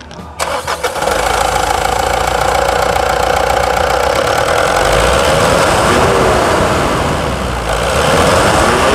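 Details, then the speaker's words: Mitsubishi Triton 3.2 diesel, 182,000 km, during service: quick crank, catches at once and settles to an even steady diesel clatter with no misses; healthy start and idle. "Vamos colocar vamos votar essa melodia a melodia mais linda do das camionetes vai"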